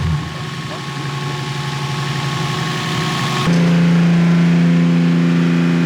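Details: BMW E36 freshly built swapped engine after break-in and fresh oil, lifter noise now much quieter: smooth even note climbing to a steadier higher hum, no knocks or ticks. Normal revving.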